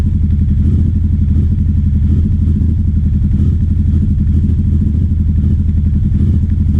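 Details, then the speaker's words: 2009 Aprilia Shiver SL750 V-twin, about a minute after starting, no error messages: lumpy idle that wavers and jumps up and down instead of settling. Replacing both air pressure sensors in the airbox seemed to fix it; hunting idle. "So this is what's happening with the idle. It's just jumping up and down. It seems to be happening about after a minute running."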